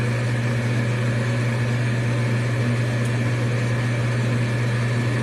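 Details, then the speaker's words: Amana gas furnace after igniter replacement, startup sequence; control board relays click, then exhaust inducer blower runs with steady low hum and even airy rush, no rattles, pulling draft through heat exchanger normally. "Exhaust blower comes on. It's exhausting. It's pulling a draft on the gas manifold, the heat exchanger."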